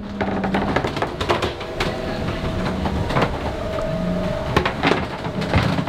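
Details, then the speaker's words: Lagoon 500 catamaran underway after a bridge deck slap: drawn-out groaning creaks and popping with splashing water as the hull and bulkheads flex heavily. "but what i want to point out is that is the creaking sounds man this hull just sounds like oh it's moving a lot"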